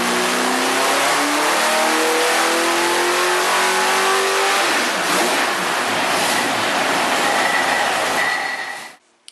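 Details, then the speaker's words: Carbureted V8 on the dyno after secondary jets changed, warmed to 180 degrees, final full-throttle pull: pitch climbs smoothly for about five seconds, then lift-off; clean, strong run making 410 hp at 4,800 rpm and 440 lb-ft. "So it's going to be really torquey, really nice in the middle as you're cruising down the road, lots of torque, and the top end is great. It just kept on climbing. Excellent performing engine"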